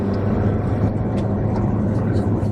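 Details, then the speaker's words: 2010 Ford Fusion 2.5L after CHT sensor (P1285) repair, valve cover leak fixed and new spark plugs: even, steady idle with a clean low hum, no stumble; runs much smoother, the earlier misfire gone. "feels a lot smoother before you could definitely feel a miss when you were driving it"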